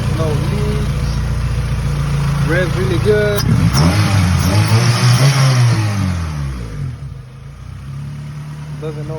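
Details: Freshly rebuilt Honda B18C1 GSR engine swapped into an Acura Integra LS, first start: quick blip of revs then a steady, even low beat with voices over it; ran two hours without overheating, normal idle.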